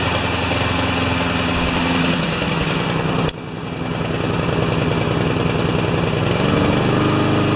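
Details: Honda lawn mower single-cylinder engine, restarted after rewind spring repair, automatic choke taking about 30 seconds to come off: steady, even running with a slight dip then recovery; normal running.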